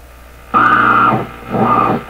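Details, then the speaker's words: General Electric KL-70 AM/SW radio with weak 19 metre band: hissy tonal noise bursts in then goes dead and slowly returns while tuning, magic eye opening; oscillation suspected, unconfirmed. "okay so it sounds like it's oscillating up here and listen to this they tune it across it'll be making sounds and then it'll go dead"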